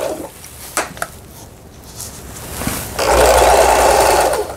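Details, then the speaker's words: Lion-sold Janome LR1600 sewing machine after repair of a misaligned pattern-selector gear and loose pulley screw, test straight stitch with upper and lower thread, bottom cover off: smooth, even stitching whir about a second and a half; normal sewing. "직선 바느질, 아래실, 위실, 정상적으로 이렇게 바느질 돼서 나오고 있습니다."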